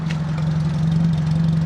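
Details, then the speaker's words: Fiat Panda 4x4 Sisley at the exhaust: an even, steady idle hum with a constant beat, no longer skipping and hunting as before, with hardly any fuel vapour, and condensation water in the exhaust. "even on the exhaust it's not skipping and hunting and shunting like it used to"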